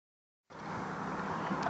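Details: 1999 Subaru Forester flat-four with 101k miles, idling rough with a deep, steady bottom-end rod knock under the exhaust note; the engine is to be pulled and replaced.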